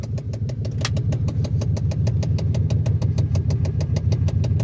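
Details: 1991 Chevrolet Silverado C1500 idling evenly and steadily after the starter wire was replaced and the hot wire rerouted to fix a no-start; the sharp regular clicking heard is from a stripped blend door gearbox, not the engine.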